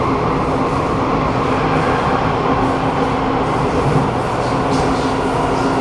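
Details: SMRT Kawasaki Nippon Sharyo C751B train, set 325/326, filmed in car 2326 A1/B1. Decelerating underground into Dhoby Ghaut, the motor gives a very loud steady hum and low drone over heavy rumble: loud vibration during braking.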